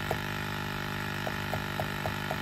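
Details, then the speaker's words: 1999-07 Ford Super Duty F250-F550 with a 7.3 or 6.0 Power Stroke: electric vacuum pump hums steadily with faint clicks, never reaching its 15 cutoff; vacuum leak found as a slit in a hose. "start shattering here any minutes because it should cut off at 15 yeah so it's sitting there trying to cut off so now we either have a leak in our canister or we have a leak in our hose"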